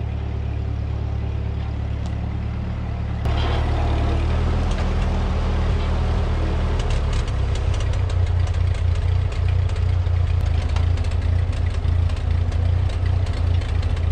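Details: 1946 Ford 2N tractor, flathead four, after a head gasket replacement. Even engine note steps up firmly as it pulls away down the road and holds steady under load with no knock; running healthy.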